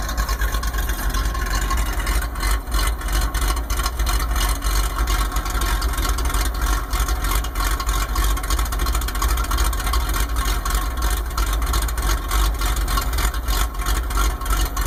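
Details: 1995 Ford F150 idling with uneven loping beat like an aggressive cam, caused by a vacuum leak (Thermactor); owner thinks it was later fixed.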